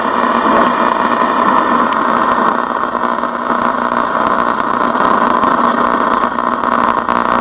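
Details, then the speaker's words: 1972 reproduction Philco Baby Grand radio DXing on AM: loud rough buzzing drone with fast flutter covering the station; interference noise, owner suspects a 5G tower, not confirmed. "that's interference from a 5g tower i think"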